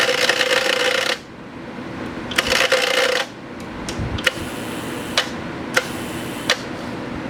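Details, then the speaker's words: TIG welder in high-frequency mode with loud harsh buzzing rattle in two bursts over a low hum from the main relay chattering, despite relay points being cleaned and sanded; it eased when switched from high frequency to start. "Slight buzzing sound. If I turn the start off, you won't hear the buzzing sound, just a different buzzing sound. That's the loud rattling sound. That's the really loud rattling sound there."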